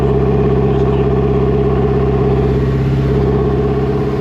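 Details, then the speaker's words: BMW M5 S63 twin-turbo V8 after rebuild and airflow meter fix, on a diagnostic oil-level check that automatically loads the engine to reach 80 degrees: strong, even note at raised revs, no knocks or rattles, exhaust condensation clearing; healthy engine warming up. "As you can see, this is warming the engine up now. And what Top Don does is it puts some load on the engine automatically. That's why it's revving, as you can hear."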